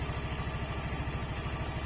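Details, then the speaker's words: Honda Vario scooter after repair for heavy, sluggish pull and high fuel use: low, even single-cylinder putter at steady idle, no rattle or scrape from the belt drive; pulls light now and front end sounds smooth, normal idle. "Enak pokoknya tarikannya bukan lumayan sih pokoknya enak tidak mengecewakan dan suaranya di bagian depannya halus"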